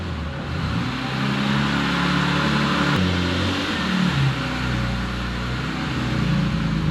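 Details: Warm Triumph Spitfire, just revived after many years: idle wavers and hunts in pitch instead of holding a steady beat. Rough idle, put down to carburettors still needing setting up.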